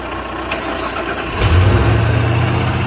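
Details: 1996 Ford E-150 Club Wagon 5.8 V8 after alternator and belt replacement: quick crank, catches, settles into even, steady idle with no belt squeal; normal start and idle.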